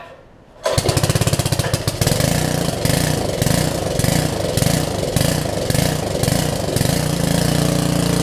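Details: Karcher pressure washer with 6.5 hp Briggs & Stratton engine, sat a while, new carburetor fitted: engine catches after a second and settles into a steady, even firing beat with no misses or surging; normal running.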